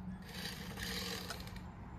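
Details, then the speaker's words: Traxxas LaTrax Rally RC car, new, on first test run: thin motor whir with dry, gritty scraping; a small rock stuck underneath grinding in the drivetrain. "oh think we got something stuck underneath it don't uh not sure if you can see it down in there we got a little tiny rock stuck in there"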